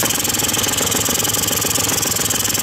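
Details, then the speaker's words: Quantum RS two-stroke scooter, warm engine after carburettor mixture screw adjustment: fast, even putter with no misses or hunting, smooth when revving up and down; a properly set idle. "posłuchajcie tego dźwięku równomiernie przyspieszając i zwalniając musi być gładka praca tego silnika tak powinien być prawidłowe regulowane"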